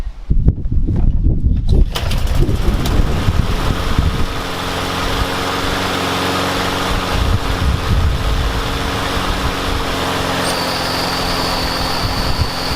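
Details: Yard Machines mower with a Briggs and Stratton engine, restarted after blowing into the carburetor's upper intake to cure a no-start: catches right away after a brief pull and settles into a steady, even run; starts easily.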